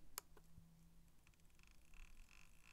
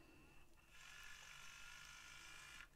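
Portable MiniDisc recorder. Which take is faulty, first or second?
second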